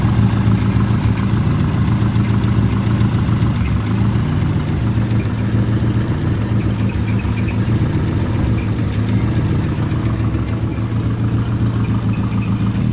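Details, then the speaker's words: Turbo 1.6 Miata idling after a downpipe rebuild from 2.5" to full 3" V-band exhaust: low, even, soft burble, described as super quiet, with no knocks or rattles; clean normal idle. "All right, let's see what it sounds like with the 3-inch exhaust. Quiet, super quiet."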